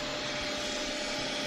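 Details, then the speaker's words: AMD gaming PC (570-series chipset motherboard, EVGA RTX 2080, 1000 W power supply), at power-on: harsh steady whirring grind with gritty rasp that then goes away; owner suspects the small chipset cooling fan. "you hear it so the first thing is that grinding sound that just went away i have warned people about the 570 series chipsets from amd they have a little cooling fan on the chipset and i think it's that little cooling fan"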